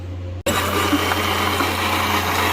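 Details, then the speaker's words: Farm Gator after a repair, tested before full reassembly without a battery: steady even hum with a smooth low drone from the motor and gears, no knocks or grinding. Seems okay, some rocks in there, feels tighter; normal motor and gearbox run. "Well, seems okay."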